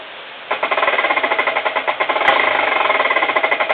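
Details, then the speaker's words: 2011 Avid Code MTB disc brake with 203 mm floating disc, just installed and adjusted, with the wheel spinning: fast, even clicking from the freewheeling hub with only a very slight rub; the brake is running nearly free. "as you can hear, the brake is adjusted pretty well though. You can only hear the clicking from the hub and only a very, very little noise."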